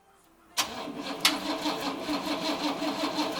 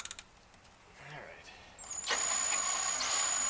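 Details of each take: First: 1956 Cadillac Sedan DeVille 365 engine on its first start after restoration: catches with a bang, then stumbles through a lumpy, uneven beat with no steady rhythm; rough running. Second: Priming the oil pump with a drill on a 1956 Cadillac 365 V8 before first start, four quarts in, no filter: thin steady high drill whine that holds pitch, drill starting to struggle, oil reaching lifters; normal priming.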